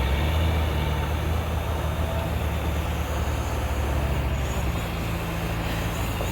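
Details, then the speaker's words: Heavy logging truck with a new remanufactured Cummins N14 diesel, being put through its paces under load, sound recorded on phone: deep steady drone pulling hard, sagging a little then recovering, no knocks or rattles. Healthy engine. "There you go, Stevey, that'll get her. Putting that new motor through his paces."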